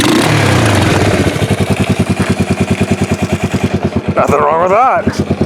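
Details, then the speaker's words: Revived 1988 Yamaha Moto 4 ATV, slightly smoky: steady, even thumping single-cylinder idle at about seven pulses a second, no misses or knocks; sounds healthy. "and that sounds pretty good actually let's even go for a ride"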